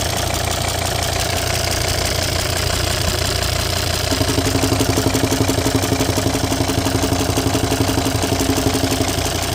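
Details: Volvo XC90 D5 185hp diesel idling with a regular light popping about three times a second over the engine clatter; owner unsure whether it is the PCV or the lifters.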